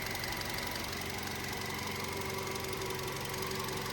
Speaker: It's ticking over lovely. Look at this. Listen to it. Really nice. Really ticking over nice.